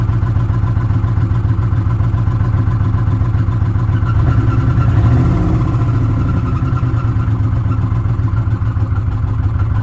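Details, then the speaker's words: 2006 Ford F-150 5.4L V8 with code P0016, warranty inspection: steady idle with light uneven valve-train clatter up top on bank 1, near cylinders 2 and 3; cause suspected, not confirmed. "That's just, I mean, that's about where the noise is coming from. That's what I'm getting at. It sounds like a valve train noise back there."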